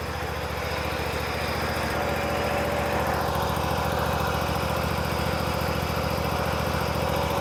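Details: Bobcat Predator Pro zero-turn mower with Generac engine, after fuel line replacement, max throttle with choke on: small engine holds a smooth, even buzz with steady beat, no surging or stumbling; normal running.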